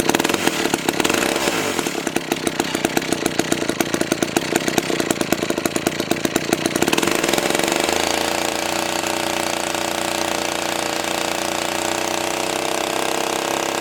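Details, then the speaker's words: McCulloch 1-42 chainsaw after restoration: crisp fast two-stroke buzz revs up then settles to a steady even idle with no misfire or rattle; normal running. "that sounds pretty good think I'm gonna have to try and cut along"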